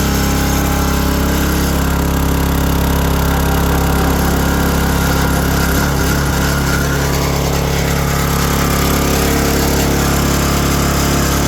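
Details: 2022 Oregon 3000 Series log splitter, 6.5HP Kohler single-cylinder engine, about 20 hours, after the fix of unplugging the sensor: loud, steady drone at constant speed with no misses or stalls; it starts and keeps running normally.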